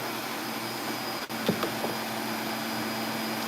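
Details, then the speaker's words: Filter Queen vacuum being prepped for sale, running with the brush switched on and off: steady, even motor hum and smooth airflow with no rattles; quiet compared to other vacuums, healthy. "And it's not even that loud, man. And it's very quiet compared to other vacuums."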